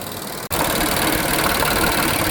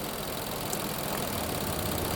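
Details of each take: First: 2020 Infiniti QX60, 95,882 miles, with oil consumption, after misfire repair and diesel engine flush; smooth steady idle with an even, unbroken hum and no miss or knock. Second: 2020 Infiniti QX60 V6, 95,882 miles, with oil consumption and misfire codes P0300/P0304: with a non-suspect cylinder deactivated the idle turns uneven and lumpy, so that cylinder was contributing. Disabling suspect cylinder 4 changed nothing.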